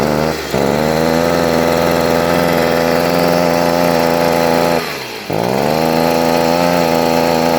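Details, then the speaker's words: Stihl leaf blower that starts but will not rev up to full rpm, carburetor adjustment already ruled out; steady mid-pitch drone sagging twice, never reaching full speed, caused by a clogged spark arrestor screen restricting exhaust flow. "it'll start but it just will not rev all the way up to its full rpms almost 90 of the time whenever that happens"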